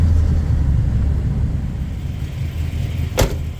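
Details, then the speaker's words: Chevy V8 pickup, newly bought project, new spark plugs and ignition parts: low deep idle with uneven, lumpy beat and slight shaking instead of smooth V8 burble; a cylinder seems to be missing, owner suspects injectors. "es obviamente los V8 son muy muy suaves esta se le ve que está sacudiéndose levemente y no tiene que ser así entonces obviamente está faltando algun que otro cilindro"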